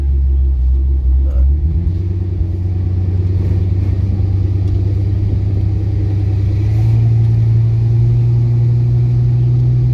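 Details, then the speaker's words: Lifted 2001 Ford Excursion with replacement 2002 engine from an F350 (290,000 miles): deep lumpy idle with uneven stumble, misfire from a couple of ignition coils not firing. "I got a couple little misfire issues that I have to fix on it. Like, I got a couple ignition coils that aren't ignition coiling, so I got to fix that. And you can definitely hear the misfire going on right now."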